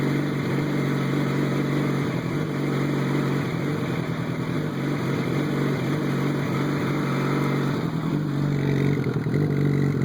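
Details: 2007 Yamaha FZ1 four-cylinder motorcycle running unevenly, exhaust note stumbling and sputtering instead of humming smoothly; engine misfire owner is trying to cure.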